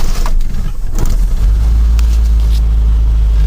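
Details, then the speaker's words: 1985 Mazda B2000 ute, recently had clutch work; restart without choke after a few pumps, catches quickly into a steady deep low rumble, a bit rattly; normal start. "and then you can't complain about that, can you? It's a bit rattly, but anyway."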